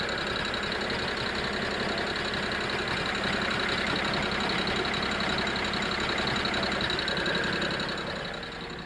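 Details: BMW E92 330i N53B30 petrol six: fast steady metallic rattle over a humming drone, with power loss at low rpm while driving, no codes; injectors, coils and HPFP already replaced; owner suspects DISA, not confirmed.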